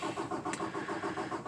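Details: 2018 Peterbilt 579 diesel after dealer replaced priming pump assembly for no-fuel-prime; hard start since new. Steady starter churn with no fire, usually on second crank round; extended cranking.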